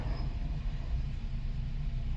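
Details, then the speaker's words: Nissan Tiida four-cylinder rental car after P0300 misfire repair (had power loss, check engine light, backfiring): quiet even low idle rumble, no popping or stumbles, scanner shows no fault codes; backfiring appears gone. "vamos a encender el vehículo y parece que el petardeo ya se ya se quitó no tenemos ningún petardeo"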